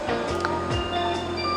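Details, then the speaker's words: Sony Giga Juke, repaired for boot and power supply problems, playing album through connected amplifier; music drags low and dark, pitch well down like slow tape, playback speed wrong. "I'm not sure this is right it's as if it's a bit slow"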